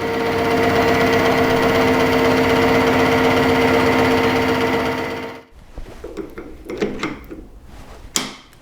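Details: HS260 mill face milling with INT30 22mm face mill adaptor, pins re-fitted with Loctite, 3 mm then 2 mm cut: steady cutting hum with even ticking about four times a second, no chatter or squeal; clean, healthy cut.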